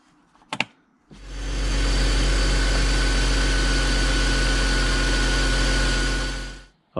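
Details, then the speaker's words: BMW E53 X5 M54 straight-six after replacing a failed ignition coil that caused a cylinder misfire, rough idle and check engine light: click, then smooth even idle about six seconds, no misfire; problem solved, normal idle. "'ll just give it a couple of minutes make sure we've solved the issue she's running silky smooth just like a m54 should do problem solid"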